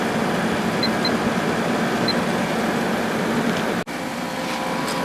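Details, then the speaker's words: 2003 GE 12,400 BTU Samsung-made air conditioner, condenser hot, drawing 10.4 to 11.3 A and about 1,259 W, condenser fins straightened: steady fan whoosh over a smooth compressor hum, no grinding; blowing cold and working fine. "And it's blowing nice and cold. Working just fine."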